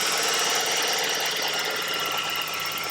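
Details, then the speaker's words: 1989 Ford Ranger 2.9 V6 idling after replacing the PCV valve that caused a whistling noise. Even idle with a light, steady valvetrain tick and no breather whistle; normal idle. "noise problem solved and I think the idles the idle issue where it's been idling unsteadily is likely solved too"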